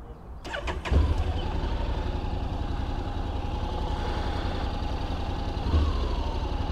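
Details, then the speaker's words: 2021 Honda NC750X DCT after the recall fuel-injection ECU software update: the engine starts cleanly, idles steadily and takes a smooth throttle blip with no stumble. The off-idle throttle hesitation present before the update is gone. "the throttle definitely seems smoother now there doesn't seem to be that little hesitation you know right when you open the throttle"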